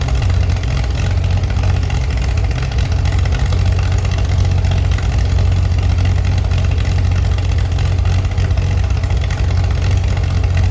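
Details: Chevy SS under restoration, engine restarted after the owner lowered the fuel level to fix a mistake; it has a non-original cam. Deep, even idle with a steady low beat, no misfires, knocks or ticks: clean, healthy idle.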